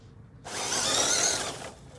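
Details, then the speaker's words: Slow motor spin-up on an RC Superlite crawler after a belt-drive conversion, run on a small 500 mAh battery; a hissing electric whir builds over about a second, holds, then fades as the motor winds up slowly, likely pulling too many amps. "yeah too many amps you can hear how long it takes the motor to wind up just listen to this"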